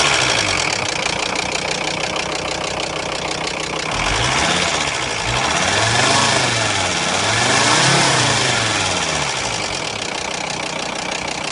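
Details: Volkswagen Crafter diesel idling: heavy, regular knock about four per second that grows louder as revs rise; engine knock, cause unknown.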